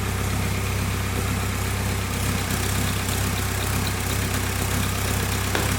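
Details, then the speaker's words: VW Caddy 2K after a swap to a 2.0 BKD diesel engine, first start: steady, even diesel idle with a low, regular knock and no misses, rattles or hunting. The engine runs healthy, a normal idle. "engine runs that's good obviously I didn't know anything about this engine sounds good"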